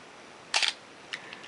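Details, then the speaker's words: Canon AE-1 Program 35mm SLR (1981) with a 50mm f/1.4 lens, back open, set to a longer shutter speed on the self-timer. A crisp double snap as the shutter fires, then light clicks with no drag; shutter and film transport work properly. "see that work smoothly and the film transport over here is working properly"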